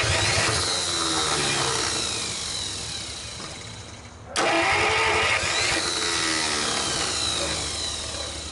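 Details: 1949 Buick straight-8, first start in years, with distributor cap and rotor from a 1950 parts car and gas fed to the carburetor, timing being advanced; long starter churning with brief uneven firing attempts that never catch.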